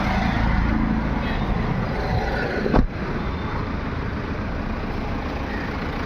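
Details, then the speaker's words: MG Hector that cranked but wouldn't start, after fixing the faulty fuel pump, its pipe and a burnt loose socket contact: fuel pump runs, engine catches after one brief knock and settles into a steady idle, starting normally. "Motor चालू हुआ और engine भी start हो गया।"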